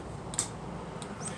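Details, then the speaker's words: PrimeWeld Cut 60 with Chinese portable CNC plasma/flame cutting machine, gas not connected: three sharp light clicks roughly every half second over room hum as the gas solenoids cycle through preheat, pierce and run sequence. Normal gas solenoid cycling. "the solenoids for the gas which I don't have connected"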